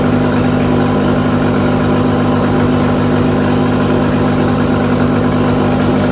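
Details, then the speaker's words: Rear-wheel-drive-converted Mk2 VW Scirocco with 1.8T 20v engine, first start: even idle as it goes up to third gear with the rear wheels spinning faster each gear, no knocking or grinding; clutch and gearbox engage properly. "yeah that's awesome rear wheels are spinning i went up to third gear there and when i watched the clip back it got quicker each gear so i can only assume it was going into gear which is uh which is good"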